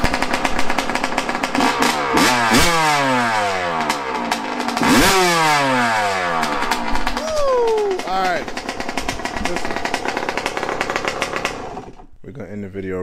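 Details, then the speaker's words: Yamaha YZ125 two-stroke restarted on one kick after carb air-screw and idle tuning: crisp revs rising and falling cleanly, picking up sharply and settling without bogging or misfire; sounds as it's supposed to, running properly. "that's how she's supposed to sound [Music] [Music] wow she sounds good"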